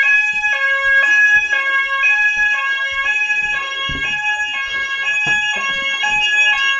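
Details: Old preschool fire alarm sounder that had no sound, after a quick fix, one of two repaired: a loud stepped two-tone electronic warble cycles about once a second, clear and strong. The sounder is working properly.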